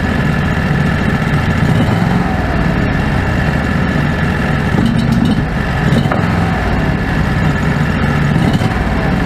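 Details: Predator 670 V-twin after adjusting the stock carburetor (brass caps removed), fed by an electric fuel pump with a crankcase vacuum line. Even, steady low rumble with no hunting or surging. Factory idle was unstable; the idle now holds stable.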